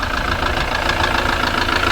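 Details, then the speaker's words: Ford Transit Mk7 diesel idling after adding oil, slight black smoke; steady rapid knock over engine clatter, seemingly from the top end, much quieter than before the oil was added. Cause suspected, not confirmed. "She's knocking off as not half as bad as what she was. Surprised what a bit of oil does. There you go. I can actually hear myself speak now. Definitely all on the top."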